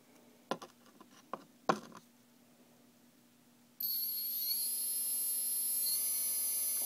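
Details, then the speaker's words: Turnigy D3530/14 1100KV brushless outrunner, good-bearing motor from same batch as a defective one: steady, clean high-pitched whine, quiet, no roughness or shaking; normal healthy bearings. "much quieter doesn't shake i don't feel the roughness of the bearings and it's quiet so this is the good motor"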